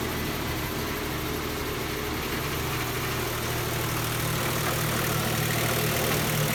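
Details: 56-plate Nissan Pathfinder 4.0 V6 idling lumpily with a regular stumble; cylinder misfire, engine also running rich.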